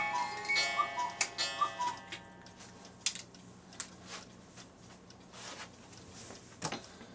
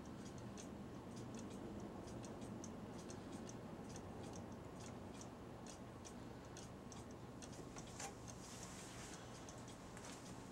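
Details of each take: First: Cuckoo clock repaired earlier. A short music-box tune is followed by an even tick-tock; it is running cleanly. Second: Cuckoo clock ticking evenly at about two beats a second, then stopping suddenly with a thump. Hair or debris in the mechanism is suspected of catching the gears.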